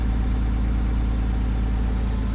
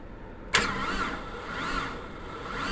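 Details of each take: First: 1998 Porsche Boxster 986, neglected, first start: smooth, even idle with a steady low drone, much less smoke, and the earlier engine tick has stopped; the radiator blew shortly after. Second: Neglected 1998 Porsche Boxster 986 on new battery after jump pack pulsed: starter turns engine over slowly in laboured whirs about once a second; engine not seized, owner suspects a bad connection; slow cranking.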